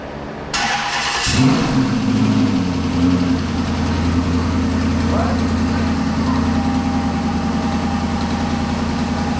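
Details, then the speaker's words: 2007 Chrysler 300 Hemi V8 just swapped in from a 2006 300C donor, first start without a mid pipe: it cranks, catches and idles lumpy with a loose, uneven knocking rattle from the torque converter not being bolted to the flexplate. "that sound is the sound of not having any torque converter bolts in it"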